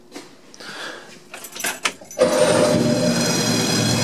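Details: Two-cylinder Honda N600 after fitting an MSD 6A ignition box and twin-tower coil, with plugs regapped to .045": a few clicks, then it catches quickly into an even run with a crisp crackle. Strong spark of about 35-40 kV.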